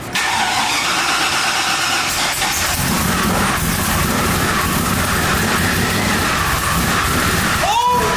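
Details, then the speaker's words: 2002 Chevrolet Silverado 1500HD V8 with fat cam, first start after rebuild with Vortech V3 supercharger not yet fully plumbed, untuned: loud ragged start, then lumpy hunting idle, barely running, garage filled with rich fuel smoke. "oh my God yeah Cameran high five the garage is now full of Rich fuel smoke dude it barely runs barely runs"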